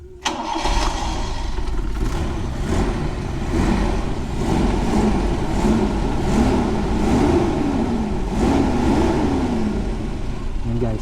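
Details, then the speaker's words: Toyota Lite Ace 5K engine after exhaust manifold gasket replacement fixing an exhaust leak: catches and settles into an even, quiet idle with a soft steady beat, no ticking, puffing or backfire; normal idle after repair. "ah dati sobrang sobrang galit yung makinang pakinggan ngayon tahimik na siya"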